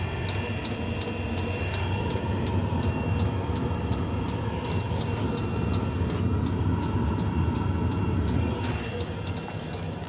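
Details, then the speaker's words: Fuel-burning heater installed in a Mitsubishi i-MiEV electric car: steady roaring burner like a small jet with crisp regular fuel pump ticks about three per second; heater running normally. "You can actually see the the kick of that fuel pump, how it vibrates the fuel line here. Kick, kick, kick, kick, kick. Sounds like a little jet engine."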